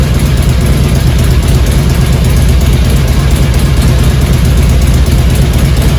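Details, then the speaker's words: 2002 Harley-Davidson Road King Classic Twin Cam after cam chain tensioner replacement, new plugs, first start in neutral: loud steady V-twin idle, even low throb, cam chain noise gone; normal idle. "foreign much quieter clearly uh cam chain noise is gone"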